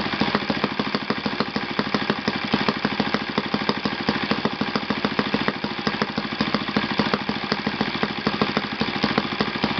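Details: Yamada (Futaba) YS F 120 four-stroke glow engine on a test stand after a full rebuild (combustion chamber buildup, piston and ring problems), Yamada No. 4 plug: fast even firing, steady buzzing note, no misses or knocks; normal running.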